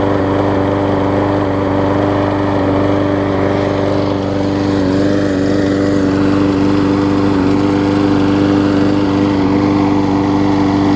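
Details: Husqvarna mower with aluminum deck, after new gas tank, new carburetor and tune-up (old tank cracked, carb gummed up): steady, even drone with constant tone, no stumbling or surging, low vibration; engine now running healthy.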